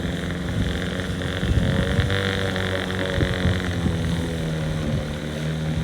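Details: Outboard on an abandoned jon boat, sat over winter and unknown if it ran, first start attempt in water: steady, even buzzing two-stroke drone with a low throb, no misses or knocks; runs cleanly, better than expected.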